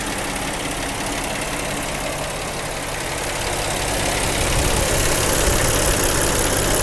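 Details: 2010 Jeep Wrangler at idle: a fast, fairly regular tapping at about three per second rides over the engine. Source unclear and needs checking.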